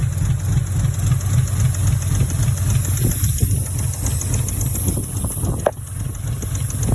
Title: tried starting the SC300 it started but was misfiring or backfiring and had a vaccume leak!